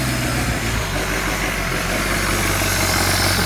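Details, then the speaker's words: VW T4 diesel van, sat four years, after fuel system overhaul and bleeding, glow plugs heated: catches and runs roughly with uneven, lumpy beat, smoky, then dies; air still in fuel suspected. "smoky oh it's dead it's dead yeah so go again"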